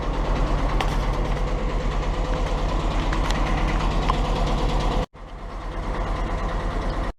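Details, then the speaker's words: Willys CJ2A Jeep with L134 flathead engine, starts right up but white smoke and burning oil: rough, lumpy idle with steady knock about three times a second over low rumble; cause unconfirmed. "So it starts right up and it runs good except for that knocking and the smoke coming out."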